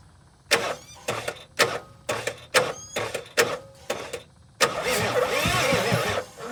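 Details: 1986 Ford F350 6.9 diesel from Texas, on a first revival start attempt with a new fuel filter and cracked injector lines being bled: about eight starter bursts with gaps, then a longer churning crank that never catches. Cranks but will not start.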